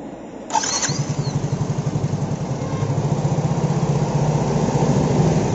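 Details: Yamaha Mio J scooter that keeps stalling, MIL flashing two fast blinks, stall when cable pulled while riding: starter whirs, then it catches and settles into a steady, slightly uneven putter that keeps running; restart after stalling.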